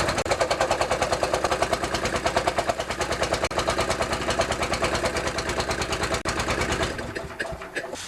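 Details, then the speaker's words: Vintage Honda EG4000 generator with G400 engine, after carburetor cleaning and new Tygon fuel line, idle screw opened slightly: small engine chugs unevenly about three beats a second, loping and shaking, then stumbles and fades; rough running, still not fixed. "This thing vibrates so much I couldn't even adjust the screw, so I'm going to do it now, then start it up again."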